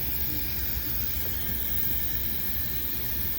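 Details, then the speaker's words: 2021 Mercedes Sprinter M274 gasoline engine with cylinder 3 misfire, leak-down test on cylinder 2: steady even air hiss, about 32% leakage; cylinder 3 later shows 86% from leaking exhaust valves and piston rings. "Like we've got about 32% leakage on number 2."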